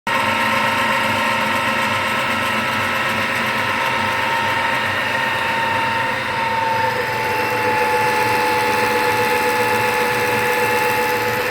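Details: New Chinese-made replacement power steering pump on a Volvo: steady high whine over the engine, noisy above 2000 rpm, pitch dipping as revs ease then climbing back.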